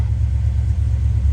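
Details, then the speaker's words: 1994 Chevrolet C30 (3500) ex-fire-department truck, 7.4 L V8, about 27,581 miles, idling after head gasket replacement with 262 miles since: deep, steady, even rumble, no knocks or misses; normal idle, running good. "262 miles on it since I changed the head gaskets still running good"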